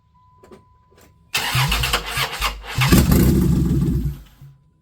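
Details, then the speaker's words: A 1995 Plymouth Voyager 3.0 V6 being started for the first time after timing work. The starter cranks with uneven, stumbling firing that catches briefly but never runs; the distributor is clocked off, so it fires too early or too late. Crank, no start. "Sounds like timing's wrong. What did I do wrong? Or the battery's dead. Or both. That doesn't sound right, does it?"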